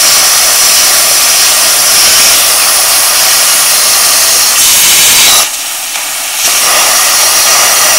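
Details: A 40 amp plasma cutter at 15 amps and 40 psi gives a steady loud hissing arc with a brief dip mid-cut; it cuts slowly and not completely through but keeps the shape; low-amperage cutting.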